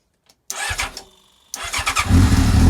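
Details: Old R6 that had been scrapped, first start attempt on a makeshift fuel feed with the ignition on, the primer pump running and possibly choke: brief cranking, a pause, more cranking, then it fires and settles into a deep, uneven idle.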